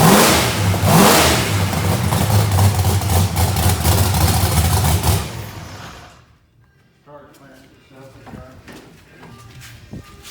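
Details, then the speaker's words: Procharged Mustang drag race car, about 2000hp, heads freshly gone through, first start after repairs with starting fluid/brake clean: big V8 barks into life, revs cleanly up and back without misses or knocks, then shuts off; healthy start and revving. "That thing is loud, ain't it?"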